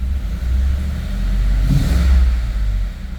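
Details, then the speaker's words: 2011 Ford F-150 5.0 V8, cold, after crank-no-start fault: revs up and settles with an uneven, lumpy exhaust note like a misfire; misfire codes on cylinders 5 and 6, cause not yet confirmed. "I'm gonna inspect it but but it the trick starts it runs like it has a misfire"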